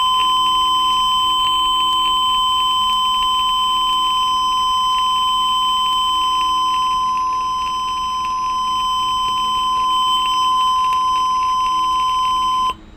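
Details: TruSat TruSignal pulse oximeter low-battery alarm: a steady high-pitched electronic tone holds unbroken for about thirteen seconds, then stops.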